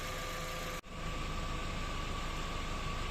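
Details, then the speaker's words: VW Passat B5 with Valeo 90A alternator, after reinstall: smooth even idle, faint steady belt-end whine, no groaning; alternator healthy, slight clutch bearing noise audible. "Everything is quiet The generator no longer groans The engine is running ok in general silence"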